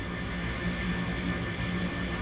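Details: Comfort Air furnace KG7SA-054C23A1, whose control board was found bad: smooth, constant low hum with faint steady tone, no rattle or wobble; inducer motor running normally before ignition.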